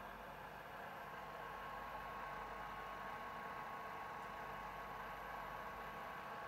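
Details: PS4 console: steady, loud airy fan whoosh with a faint high whine, no rhythm or change; fan running unusually loud.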